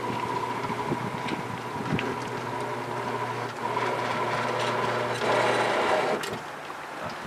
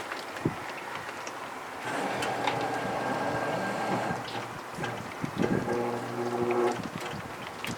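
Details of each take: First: 1966 Thunderbird front power window motor bench-tested with switches and relays bypassed. Even low motor hum for about six seconds, cutting off cleanly at the down stop. Window motor running normally. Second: 1966 Ford Thunderbird power window motor tested: labouring motor drone with wavering, dragging tone and scraping in the glass channel as the window forces and sticks; window binding in its track, motor straining.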